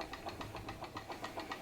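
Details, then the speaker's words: PM Research glass Stirling engine driving a homemade Baker fan, slowed by the fan load. Steady, even ticking about four beats a second with soft mechanical chuff, pulling smoothly; normal running under load. "sounds great sounds like an engine under load working and I reckon that's pretty cool for a Sterling engine actually I reckon that's really cool for a Sterling engine"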